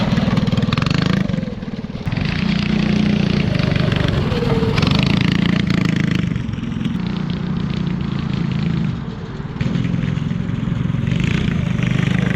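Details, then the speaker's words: Fiero go-kart small single-cylinder engine after repairs, with body, muffler and intake refitted: puttering and revving up and down with a rough, uneven beat but pulling cleanly through each rise; running normally, now faster than before. "it may be too fast now it's faster than it was"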